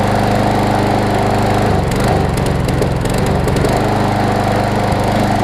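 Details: Briggs & Stratton Quantum on Troy-Bilt push mower after auto choke converted to primer bulb: steady even single-cylinder drone, no surging or misses; runs smoothly and holds speed.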